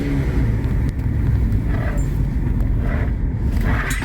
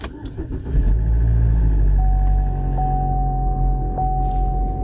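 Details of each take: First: 2012 Chevy Equinox after an engine install and timing chain work, with P0016/P0017 codes cleared. A deep, rough, raspy exhaust rumble at steady idle from the clamped-on, non-welded rusted muffler. Exhaust leak at the muffler. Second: 2012 Chevy Equinox after engine install and in-car timing chain redo, code cleared: cranks, catches quickly, settles into a steady even low rumble, no rattles or stumbles; P0016/P0017 cam-crank correlation codes gone afterward, running normally.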